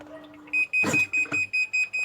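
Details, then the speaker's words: Sharp ES-F69 top-load washer that won't spin-dry and keeps refilling, lid open while checking the lid limit switch: brief clunk then about ten sharp high beeps around four a second; E2 error, lid switch not closed. "เช็คสวิตช์นะครับเปิดฝาไว้ทำงานปกตินะครับอปัหมาดนะครับอ่ารุ่นนี้โชว์ไวE2นะครับ้าสวิประตูไม่สนิท"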